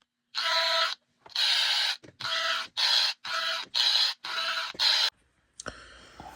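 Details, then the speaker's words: Old Athearn Bluebox HO boxcar with added speaker circuit: hissy high-pitched whine pulsing about once a second, "singing"; cause unclear. "So I've pretty much chalked this car down to being a scary car that makes spooky noises."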